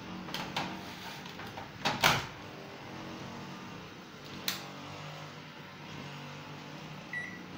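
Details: LG microwave oven being repaired for a no-power fault (display not working): door clunks and a panel beep, then a low, even hum while running, with no buzzing or arcing. Normal operation.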